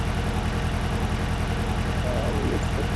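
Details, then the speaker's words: Engine that had been reported as not running right, idling with an uneven, lumpy beat as cylinder 1 drops out. Codes show a cylinder 1 misfire and an injector 1 circuit fault. "I test it to verify the customer complaint. You can hear the engine is misfiring."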